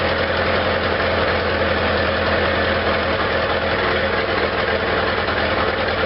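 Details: Restored Farmall Regular tractor just started after choking, spark at half, impulse engaged; steady even low thump with regular firing, no misses or knocks; normal idle.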